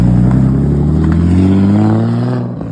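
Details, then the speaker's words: Barra-swapped Ford Mustang drift car after replacing faulty cylinder-one injector (plus fuel pressure regulator change): strong clean note climbing smoothly, even firing, no stumble or miss; now runs healthy on all six. "swapped out that injector and then she ran great it was just perfect"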